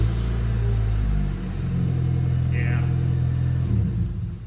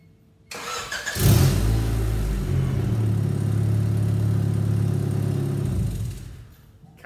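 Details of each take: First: 1992 Honda Accord after replacing the leaking exhaust flex connection: steady, deep engine rumble with no puffing or ticking, much quieter than before, exhaust leak fixed. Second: 1992 Honda Accord, about 250,000 miles: engine runs with a loud, deep, blatty rumble that is getting louder while driving, from an exhaust leak at the flex pipe connection.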